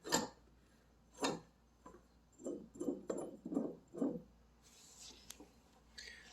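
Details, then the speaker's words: John Deere 100 series riding mower, deck removed for inspection: a deck idler pulley is spun by hand, giving a short dry, gritty growl that fades as it slows and feels rough. Rough idler pulley bearing. "you want to spin them if you hear any growling like this one here"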